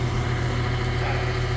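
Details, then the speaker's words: Heat pump on a no-heat service call, air getting significantly hot: steady low hum with faint even pulse, no rattles or squeals; compressor running normally in heat mode. "go yeah that's getting hot that that's that's significantly hot so it's running in heat mode like it's supposed"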